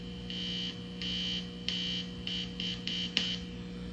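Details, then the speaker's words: Tape player head preamp: seven harsh, high buzzing bursts over a low hum when the shield is touched with its grounding wire removed; adding shielding and a proper common ground fixes it. "if I take that out and I touch it you hear that buzzing"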